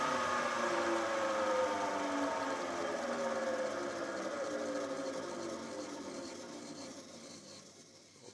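Electric motor whine falls smoothly in pitch as the saw coasts down to a stop, with no grinding or rattle; sounds healthy.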